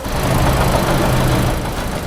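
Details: Used Toyota Yaris, about 5–6 months after purchase, after a provincial drive: dull rhythmic knock from front of running engine, steady with idle.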